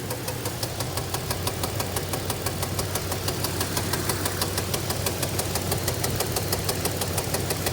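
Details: 2002 Dodge Ram 1500 3.7 V6 idling with a sharp, regular knock or pop about three times a second over a low hum; cause unknown.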